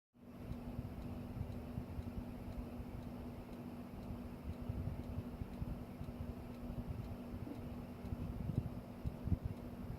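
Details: Home Depot Merwry ceiling fan running: steady hum with faint, regular light ticking/clicking a few times a second; two fans do the same.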